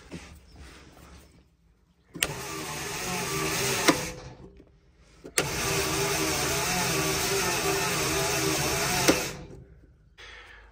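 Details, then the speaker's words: Centurion Mk3 gun-testbed tank chassis, first start attempt in many years with the fuel gauge untrusted: two long spells of steady whirring cranking with no firing; cranks but cannot start without fuel, so petrol is to be fed in next. "it's never going to start without fuel so the next thing I've got to do is connect up my test line and get some petrol into it"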